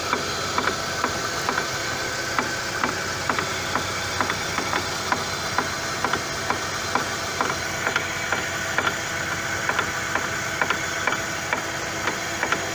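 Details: Chevrolet Lacetti, right front, after an outer CV joint replacement, run in gear with the wheel off. Sharp, regular ticks come about twice a second because the hub was not clamped tight; finding: loose front hub knock.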